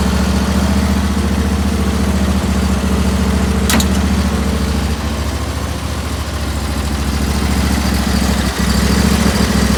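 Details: 2019 Bradley 36-inch stand-on mower idling after start-up: steady low drone with an even beat and no knocks, squeals or misses. Normal idle.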